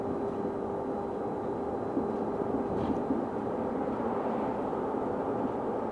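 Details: Stagecoach London North bus SLN 82060 on night route N199 near Bromley Road/Catford: a thin, steady tone holds one pitch over the bus's running rumble and never drifts. Constant-pitch whine, source unknown.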